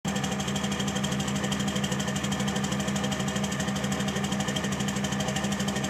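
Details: 2006 Cummins diesel with a rough idle: uneven, rattly beat of about three pulses a second, steady throughout; cause unclear.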